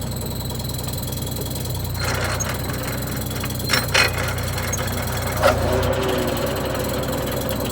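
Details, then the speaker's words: AGT flail mower on a John Deere 35D mini excavator, just shut down: steady hum with a few loose metallic clanks as the rotor slows, which is the flail knives dropping once centrifugal force is gone. Normal. "all right so that's sound there that that clanky Clank that was the knives dropping you know when they're no longer spinning from cental force"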